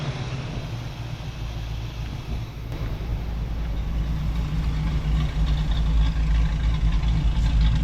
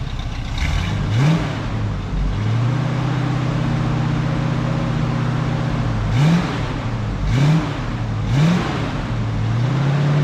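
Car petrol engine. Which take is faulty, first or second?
second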